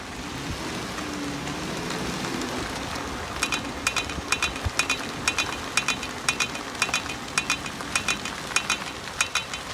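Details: Dodge Grand Caravan front wheel: sharp regular clicks about three per second over road noise, tied to wheel rotation; hub, CV axle, brakes swapped without fixing it; traced to a cracked rim.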